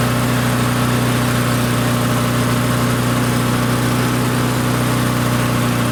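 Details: Barn-find Murray push mower, Briggs & Stratton engine, air filter off: steady even high-speed drone, no misses, surges or knocks; running smoothly.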